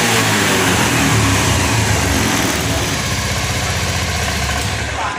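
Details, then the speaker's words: Honda Scoopy FI scooter that bogged and died on throttle after tank cleaning, now after injector cleaning at 40 fuel pressure revs cleanly on each blip and settles back to idle without stumbling; normal revving. "Oke teman-teman, seperti yang kita dengar dan lihat Pak ya, ini sudah tidak ngempos Pak."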